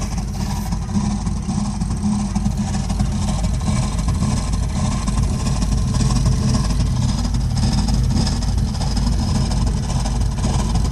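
Deep, steady heavy rumble with no clear beat that holds throughout, a boiler running abnormally loud; cause not evident.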